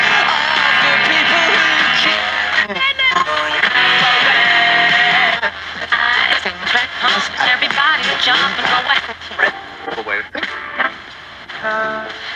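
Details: Vintage GE P977 AM/FM transistor radio, brought in because it played quietly, after capacitors in the AF amplifier stage were replaced: loud, clear music and voices through the speaker without crackle or hum; receiving and playing properly, though intermittent ringing and speaker rattle are noted.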